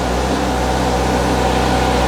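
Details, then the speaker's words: Honda Fireblade after refitting exhaust valve servo back to stock, undoing servo delete mod: smooth, even, fairly subdued hum with steady low pulses and no rattles, much more manageable than before; clean, normal idle. "So that's a lot more manageable now, sound-wise. And do you know what? I should have rode the bike for a little bit longer. Yeah. That sounds really, really clean."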